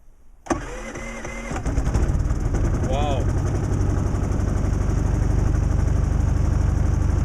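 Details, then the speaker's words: Predator 3500 inverter generator, electric start from its small battery, eco mode off, at about 5°F after nights near −20°F outdoors. The starter turned slowly and the first attempt failed; after a short pause a second press gave a quick crank, then it fired and settled into a steady hum: a normal start. "well it didn't start right away but after i stopped the starter for just a few seconds and pressed it again it started right up"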